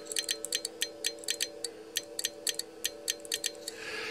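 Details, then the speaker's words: Walford Electronics HF linear amplifier kit driven by a K2 into a power meter and dummy load: crisp QSK relay clicks following Morse keying at about 20 wpm over a faint hum, switching cleanly; normal (30 wpm later damaged the relays). "I really wanted to show you the qsk you can hear the relays clicking with the qsk I turn down the audio on the main rig"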